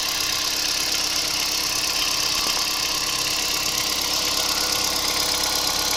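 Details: Kia Picanto 2011 1.2 G4LA engine, 96,400 km: steady idle under heavy hiss with a faint irregular tapping about once a second; owner reports an unexplained knock, cause unknown.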